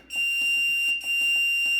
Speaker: nothing leaking so far does have this really loud beep when you press these numbers though I wanted to show you